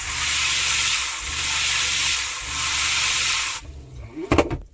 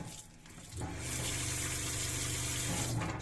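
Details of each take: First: Shurflo water pump newly fitted in a Clemenson camper cell on a Mitsubishi L200, system pressurised, tank nearly empty: steady hiss, then tap spits and sputters as trapped air is pushed from the lines; no leaks. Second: Newly installed Shurflo water pump in a Clemenson camper cell on a Mitsubishi L200 K74, tank nearly empty; tap sputters as air clears, then steady water rush over low pump hum; normal pump operation.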